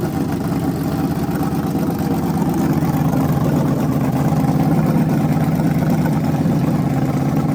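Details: Freshly rebuilt small block Chevy 350 for an OBS Chevy truck, on a homemade run stand with headers and hot water in the cooling system: strong, even V8 rumble at steady speed, crisp regular firing, no ticking, knocking or misfire; healthy.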